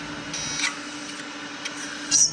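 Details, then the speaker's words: Opened hard drive, tweezers used on the head arms: faint steady buzz with brief harsh metal-on-metal scrapes, likely heads rubbing on the platter, cause unconfirmed. "oh that sounds like metal on metal that can't be good but these things are built to last I was told I wonder if that buzzing is something I should worry about too"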